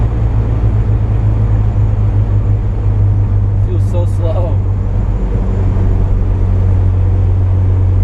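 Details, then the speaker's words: Mazda RX-7 rotary, driving at full throttle after replacing the trailing igniter and fuel filter and making the secondaries mechanical: deep, steady exhaust drone from the stock muffler with road rumble, no misfire or stumble; runs right. "The muffler, it just has a stock muffler on it, so it kind of sounds like shit, honestly, and it has a lot of drone."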